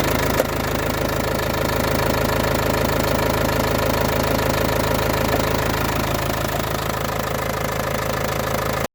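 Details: Opel 2.5 CDTI diesel, fully rebuilt engine 10,000 km ago, idling with a steady, fairly regular knock about three beats a second over the clatter; strange noise, cause unknown.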